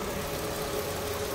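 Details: Mercedes-Benz "mata kacang" engine at steady idle with coarse, uneven churn and rattly texture underneath; runs rougher than it should, owner debating full engine teardown and overhaul to find cause.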